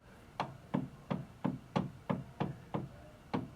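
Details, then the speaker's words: Atlas 9-inch lathe, tailstock unlocked and rocked or twisted by hand on the ways: dull clunks about three a second from play present since day one that shouldn't be there; cause not yet confirmed. "when you unlock it to slide it back and forth, you can actually rock it. I could twist it. I mean, you can hear it, but I bet you if I zoom in, I bet you can even see it pretty clearly."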